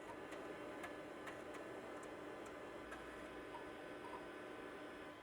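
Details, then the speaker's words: Packard Bell PB 4220CD 1990s PC, likely original Matsushita CR563B CD-ROM drive copying files, slow but working: soft light ticks over a faint steady hum with no scraping or clunks; drive reads normally. "And it is indeed copying. It sounds healthy enough."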